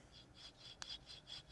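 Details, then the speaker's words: Integral one-piece wheel bearing spun by hand: faint gritty scratching in quick pulses as the bearing starts to wear and grind, unlike a quiet one. "and just that grinding right there that's not good that means that that bearing's starting to eat away that's a wheel bearing"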